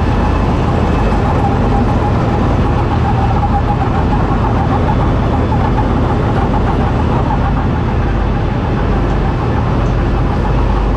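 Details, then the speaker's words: New combine harvester with the threshing unit engaged: a thin, steady high squeal holds constant over the deep diesel rumble; the belt squeals because of surface rust on the pulley. "Nowin pasek pasek piszczy bo nie wyślij znany jest koło i jest po prostu nalot rdzy bo słychać jak Pasek tylko piszczy"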